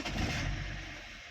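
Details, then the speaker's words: 2010 BMW E60 3.5 diesel, 285 hp, hot, fuel pump powered by bypass wires: brief crank, then engine catches at once and revs up, starting cleanly; pump audible, normal start. "I can hear the pump over here. Then the car starts. Let's start again."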